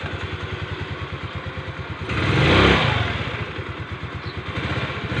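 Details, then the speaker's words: Rusi Gala scooter after replacing the V-belt, which had hardened from CVT heat and caused scraping: an even idle putter and a brief rev with the CVT scraping gone. "bale nawala na yung parang tunog na kumikiskis mga sir"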